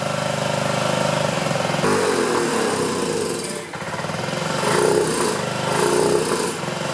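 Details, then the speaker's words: 2009 Honda Metropolitan scooter with owner-installed new carburetor, warming up: uneven, lumpy idle wandering and dipping near stalling; improved with carb cleaner spray, so clogged carburetor jets suspected; carburetor to be removed and cleaned. "Doesn't sound real consistent. And because it improved with that carb cleaner spray in there, I have a feeling the jets are clogged in there."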